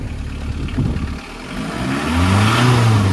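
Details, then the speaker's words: VW Caddy pickup diesel, 126,782 on the clock, cam belt history unknown: idles then revs up smoothly, pitch rising cleanly with no knock or rattle; healthy engine. "This sounds sweet. Sweet as a nut."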